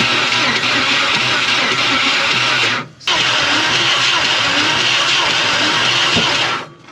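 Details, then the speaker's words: Old 350 Chevy V8 in a 4x4 Ford Ranchero parked 30+ years, spark plugs out for years; fast even cranking with no compression beat, stopping twice without firing; major lack of compression from blown head gaskets, pops and fires when trying to run. "well with a major lack of compression and we get our Pops and fires when it tries to run"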